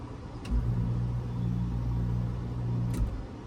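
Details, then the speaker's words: Attic dehumidifier with fan control relay starting air handler, after reconnecting missing 24V common: steady low hum kicks in and holds smooth and even; fan and dehumidifier running normally. "Fan running, dehumidifier running, everything's wired up."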